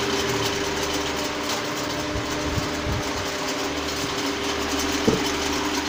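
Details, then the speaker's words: Pedestal fan running: steady hum with a light, uneven buzzy rattle. "जैसा कि दोस्तों आपने देखा है कि पेडेस्टल फैन में एक तरह की आवाज हो रही है तो यह आवाज़ क्यों हो रही है और इसे कैसे दूर किया जा सकता है"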